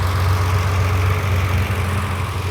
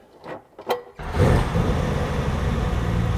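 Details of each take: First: Ferrari 330 GTC carbureted V12 after idle mixture adjustment and synchronizing carburettors with adjusting screws, idle speed lowered evenly: smooth even low idle with steady deep hum, no misses or knocks; normal idle. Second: Ferrari 330 GTC V12 being recommissioned, heard at the carburetor tops: it catches after a few cranks and settles into a steady, deep idle that is running rich. Revs rise as a mixture screw is turned in.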